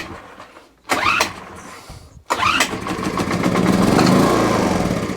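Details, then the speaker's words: Homelite HG600 Lightning Bug generator with Yamaha engine, tip find, on starting spray: two pull-start bursts, then it catches and runs briefly, rising and wavering but not settling; fires fine. "so the machine fires lovely so that's good"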